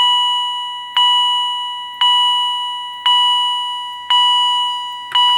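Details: Edwards Integrity chime strobe, higher-pitch version, triggered by an EST SIGA-278 pull station: a clean, high chime strikes about once a second, each ringing down evenly. Sounding normally.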